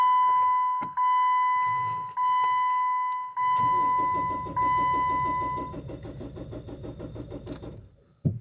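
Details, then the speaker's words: Jeep Wrangler 2.8 diesel parked one year, low battery voltage, no glow plug faults: warning chime then steady starter churn that fades, never fires. Crank no start; fuel issue suspected. "so it's a crank no start i highly doubt this is uh glow plugs to be honest it's not giving any fault for them crank no start to me looks like it's uh got a fuel issue"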